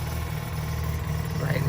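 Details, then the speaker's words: Mazda RX8 with bridgeported rotary on the stock ECU, after the idle fix (hole drilled to trick the computer, idle adjusted up): steady, even idle around 800 rpm with no hunting or stumbling. Idle now healthy. "that's what i did to this now idols around 800 rpms maybe a little lower maybe a little higher but uh yeah listen to it i like the way it sounds"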